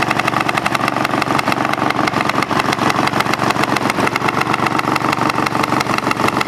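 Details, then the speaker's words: Craftsman GT5000 lawn tractor twin after woodruff key replacement, run without cooling fan and housing: uneven, lumpy, loping idle with no steady pulse; rough running with vibration, cause unknown, owner doubts crankshaft or weight problem. "if it was a mechanical vibr ation as the RPMs got come up it would get worse you know if I had a problem with the crankshaft or some weight problem you know so I don't know what's going on"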